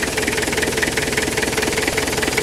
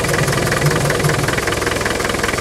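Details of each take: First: 2.5 turbo diesel idling with bonnet open for a breather check; starts nicely, steady even diesel clatter with no misses, but breather puffing badly. Rocker cover gasket leaks oil near cylinder 4. Normal diesel idle. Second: 2.5 TD turbo diesel idling with the engine breather removed: heavy, rhythmic chuffing pulses steadily from the open breather. It is puffing badly, said to be typical of this engine. Crankcase blow-by.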